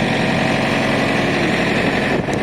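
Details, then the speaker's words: Two-zone truck reefer trailer fridge units, both starting up in sync: steady, even rumble with no knocks or misses, settling at a smooth, healthy idle. "I'm going to move away now because that's about to start up. Remember to press yes again to turn back to diesel. They're both starting up, they're in sync."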